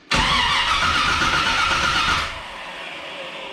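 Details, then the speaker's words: 1982 Chevrolet Camaro being reassembled, exhaust hooked up, timing being adjusted: starter cranks steadily about two seconds then stops without catching; power wire to distributor never connected, so no ignition power. Crank, no start. "oh I never put the power wire to the distributor we weren't going to get very far like that"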